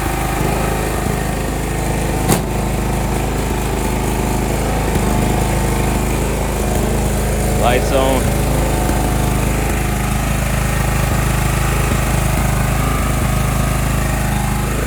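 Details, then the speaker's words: John Deere 170 riding mower, owned about five years and started manually because of a weak starter: a steady, even single-cylinder drone holding constant speed with no misfires or surging; runs healthy. "this old john deere uh 170 man that's like she runs and she runs good man listen to"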